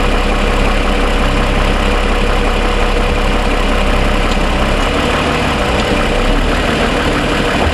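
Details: 2007 Toyota Sienna, fully warm after about 45 minutes of driving, idling: deep steady hum with only a faint light tick, much quieter than the cold-start ticking suspected as piston slap.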